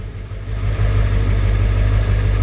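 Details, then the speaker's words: 1994.5 Ford F-350 7.3 Powerstroke just started after installing 160/00 injectors and a new intake, in a shop: the deep diesel rumble settles into a steady idle, noticeably less clattery than before the injector swap. "It sounds different. It sounds less clattery already. That's weird."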